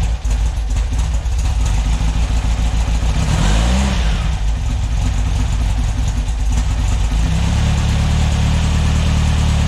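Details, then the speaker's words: Freshly built VW air-cooled 2332cc stroker flat-four (84mm crank, 94mm pistons, Engle FK42 cam, dual Weber IDF 44 carbs) in a 1966 split bus, first start: lumpy, uneven idle and a short rev blip over a loose irregular beat; owner suspects timing or carbs are off, unknown noise. "all right see the timing's a little bit off or the carbs what is that noise let's try it again"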